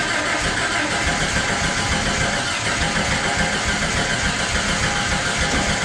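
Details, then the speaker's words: Jeep (Jurassic Jeep #73) first start-up after body-frame reassembly: starter churns at steady rhythm six seconds, no catch; cranks but won't start. "he pulled out the distributor and turned it 180 degrees and we're going to try and see if that would make some sort of difference because it just wasn't sparking when it was supposed to be sparking right"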